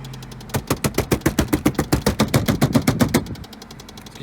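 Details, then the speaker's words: 2003 Pontiac Vibe with a fast, loud clacking rattle from the ventilation, about seven clicks a second, heard when first started; it stops when switched to recirculate mode. "do you turn this little recirculate and it stops sounds fantastic though"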